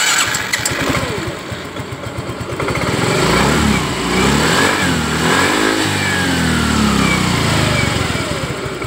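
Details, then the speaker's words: Yamaha Mio 125 after a repair for a ticking/rattle ("ngelitik"), with cylinder block and piston already replaced and the fix part just installed. It starts, idles smoothly and blips with no tick or rattle: normal running after the fix. "bersih ya teman-teman. Berarti fix untuk Mio 125 yang bunyi gemelitik."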